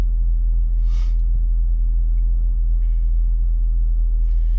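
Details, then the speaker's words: 2005 Mazda Tribute 3.0L V6 that ran rough with misfire codes, after a remanufactured PCM, new ignition coils and new spark plugs were fitted. It holds a low, steady, even idle with no misses or knocks, firing on all cylinders: normal idle. "And there we go. Nice and smooth. Hitting on all cylinders."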